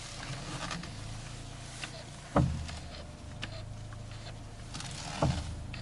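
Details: 2006 Mini Cooper with about 100,000 miles: heavy dull clunks and creaks when turning the steering wheel at standstill, in both directions. Caused by a damaged strut-top mounting and bearing; resolved by replacing it.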